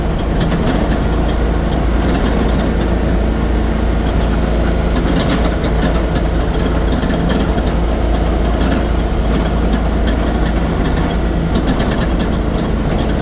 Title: what is that rattling sound?